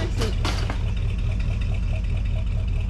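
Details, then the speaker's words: 1980 Ford Bronco after 8 years sitting, new fuel tank, in cold weather: steady, even low idle with no knocks or misses, sounds healthy; power steering fluid empty. "Man, that thing sounds good. It does. It sounds really, really good."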